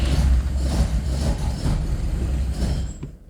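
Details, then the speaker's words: Classic Fiat 124 Sport Coupe, twin-cam with Weber 40 IDF carbs, cold after standing 14 days in winter, after priming the fuel pump and pumping the carbs: low uneven churning for about three seconds, then it dies without catching; cold engine fails to start. "the engine is cold so that's what usually happens do it a little bit more I guess"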